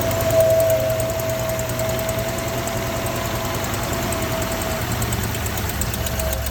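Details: 1963 AMC Rambler Classic engine at idle with a light, quick tick about three per second; possibly an exhaust leak, unconfirmed.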